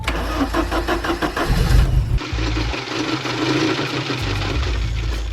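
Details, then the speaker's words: 1982 Porsche 924 Turbo after a couple of years stored, tank had run dry and was refilled with a couple gallons, jump box attached: steady cranking about two seconds, then catches and settles into even idle; starts fine. "Yep. It's going to run, guys."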